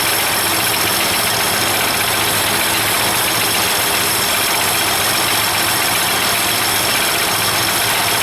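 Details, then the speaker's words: LogMaster LM2 sawmill converted from a Kohler 38HP gas engine to a Kubota V1305 diesel, test run after cutting white oak: steady, even diesel drone with a hissy top end and no knocks or misses; runs smoothly. "Okay folks, this was a good test run. I cut a white oak before this, testing it out"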